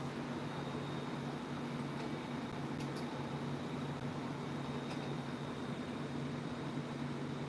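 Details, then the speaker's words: Unbranded 28-inch tower fan fitted with the fan blade motor from a 2010 Aloha Breeze 32-inch tower fan: steady low hum with faint drone and sharp ticks; abnormal motor running noise. "that sounds weird for that is so weird it's making a weird noise"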